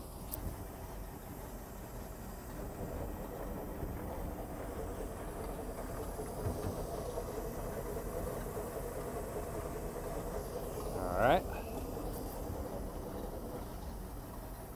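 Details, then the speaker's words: 1978 Skipjack 20 boat at idle, then shifted into forward gear. A steady, even engine drone holds through one soft clunk at the shift. Smooth and healthy, running perfectly as it should. "Idle start. That's what she's supposed to sound like. Running perfectly."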